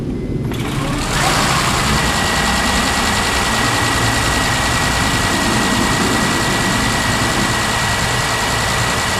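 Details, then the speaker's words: 2007 Honda Accord Hybrid first start after timing belt replacement: brief crank, then steady even idle with no knocks, ticks or misses; running smooth, timing confirmed correct, normal idle. "it's running perfectly okay smooth so now i know that the timing everything is good"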